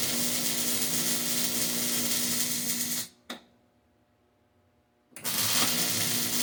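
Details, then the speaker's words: Hobart Ironman 240 MIG welder with ground clamped directly on the workpiece: even, steady frying crackle, short stop and clean restart, no popping or sputter, wire feeds fine; healthy arc with good ground. "So, ground straight on there. To to me anyways, that sounds better. And again, now the wire starts feeding just fine."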